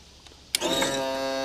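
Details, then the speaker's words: Tilt and trim on a 2014 Yamaha 250 SHO outboard, 2000 Blazer 202 bass boat, after motor replacement: a click, then a steady, even electric hum without straining or grinding, trimming up and down; working normally. "There it is. It's up. There it is. Is down. Okay, that's good."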